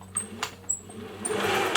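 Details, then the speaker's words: 1950s Singer 401A sewing machine with light corrosion, motor test before cleaning: short bursts of motor whir with clicks and a faint high whine, a bit rattly and uneven; runs but noisy, due a service. "goes seems okay uh it's a little bit noisy i'll service it while i'm at it"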